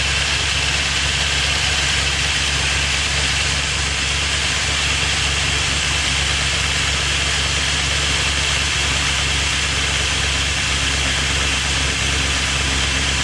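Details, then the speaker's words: First startup of a freshly rebuilt engine with Crow Cams lifters and CNC-ported heads: loud fast ticking clatter over a steady idle. Owner suspects lifters weren't soaked enough; later finds the cam lobes dry. "a little noisy on startup probably the lifters weren't soaked enough so I'm gonna check it out see what's going on make sure I got oil pressure"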